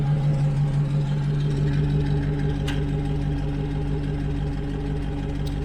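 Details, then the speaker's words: 1970 Morris 1300 ADO16 barn find, engine idling after new fuel lines, with two isolated ticks from the SU electric fuel pump; normal, quiet once running, no leaks. "I hear it, ticking sometimes, but that is just like SU pumps. It's really nice and quiet once it's running."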